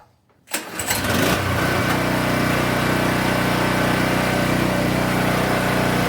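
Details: King Canada 3000W portable generator, after capacitor replacement and new air filter setup to fix hunting idle: a quick pull, a brief catch, then a steady, even drone with no surging or hunting; running properly.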